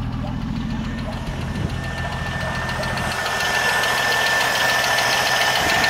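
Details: 1980 Jeep CJ7 engine running with a fairly steady tick about three or four times a second over the idle; ticking noise, source unclear.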